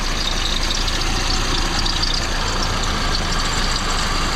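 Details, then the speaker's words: 1971 Chevy Vega with Opel transmission, first run after clutch and transmission repair, low on fuel: a loud idle with an uneven, lumpy beat and irregular ticking. Owner suspects it needs a tune-up, with the fuel pump still to check. "So I guess the next thing is, it sounds like it needs a little tune up, but of course that can is low on gas too, so I better take that with me and get some more gas."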